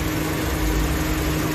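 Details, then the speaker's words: Honda engine newly fitted as a used replacement, hard to start, at idle before adding an engine additive: steady heavy idle with a deep drone and constant mid hum, louder than it should be, cause unknown. "ตอนนี้เสียงประมาณนี้แหละครับก็เครื่องสตาร์ทติดยากนะครับ"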